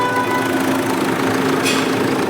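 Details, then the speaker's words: Smooth, even idle with a steady low hum and no ticking, squealing or rattling after three noisy parts were replaced; engine now quiet and normal. "अब आप देख सकते हो इसमें कोई आवाज भी नहीं आ रही है देख सकते हो आप"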